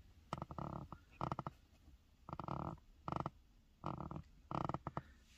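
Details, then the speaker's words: Leather car passenger seat back pushed by hand: short rubbery squawks, like creaky farts, as the foam under the leather rubs on the seat frame bar. The fix is greasing the contact areas. "if you can imagine, your back would be there and you're pushing against that, it's rubbing off this bar."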